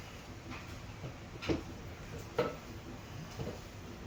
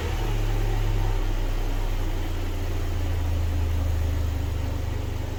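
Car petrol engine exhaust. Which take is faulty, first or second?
first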